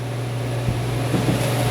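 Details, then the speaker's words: Heater blower fan on a new 50,000 BTU heater, up from 30,000, in a cold space: a smooth, even low hum with steady pitch and no rattle or scraping, much quieter than before; it runs normally. "all right fans kicking on oh that is a lot quieter oh boys that's way better nicer sound"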